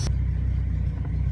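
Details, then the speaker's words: 1996 Jeep Cherokee XJ 4.0L six after installing a Rough Country throttle body spacer: after an iffy startup, deep even rumble with steady firing pulse, no misses or knocks; smooth idle, no engine lights. "a little bit of an iffy startup, but no engine lights."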